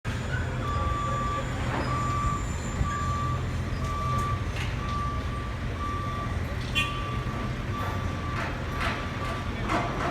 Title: Almacantar-multiplex loud noise and work before 8am